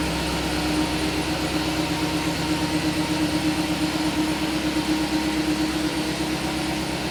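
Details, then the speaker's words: Turbo LS V8 truck after its coil packs were relocated under the manifold to stop the plug wires melting, which had caused a misfire: steady, slightly lumpy idle with no missing beats and a small exhaust leak at the dump. "it seems to be running really good [Music] relocating coils are working out"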